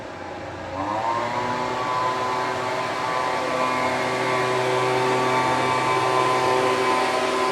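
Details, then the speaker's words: Homelite UT08572 after repair and a final chase for a tinking noise: revs climb smoothly within a second, then hold a steady, even buzz with no knocks or ticks, running well, though it still needs several pulls to start. "seems to be running really well. I'll review the footage to make sure that that old tink or whatever the noise was is gone. But it seems to be firmly going."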